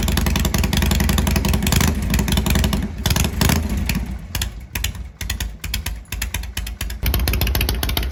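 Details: Shovelhead big twin after setting static timing, which cured hard starting and cutting out at higher rpm: fires and blips, revs rise and fall freely without cutting out; running right.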